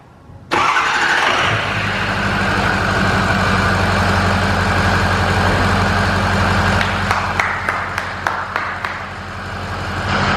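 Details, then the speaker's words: Ford F-350 6.0 Powerstroke diesel start in cold weather after installing XDP gear-reduction starter, replacing stock starter that sounded misaligned: short quiet crank, catches at once into steady idle, no grind; normal start. "That sounded way better, way better. That started up really quick. I'm happy, guys, I like it. Yeah, that started up way quicker, man. It's a lot quieter too. It's not as loud as the stock starter."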